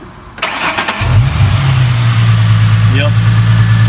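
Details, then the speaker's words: 2008 Ford Mustang V6 after new tensioner pulley and serpentine belt, cranked first to seat the belt: short crank, quick catch, then smooth even low idle with no belt squeal or chirp; works completely fine, normal start and idle. "it works completely fine but I definitely suggest just cranking in first started up without checking it at all"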